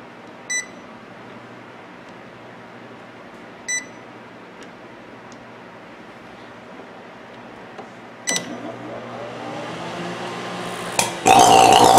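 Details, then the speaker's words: Sharp microwave oven run empty with a loud, harsh buzz and crackling after two keypad beeps, heavy sparks arcing inside; microwave arcing. "you're getting a loud spark allows packing noise again so again again heavy spark and a low noise"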